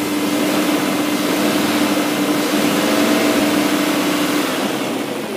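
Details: BMW M62B44TU V8, stock exhaust, right after the timing chain tensioner was replaced with an aftermarket INA part (BMW 11317531813); smooth, even idle with a steady hum and no rattle or tapping, rising cleanly with light throttle; normal idle.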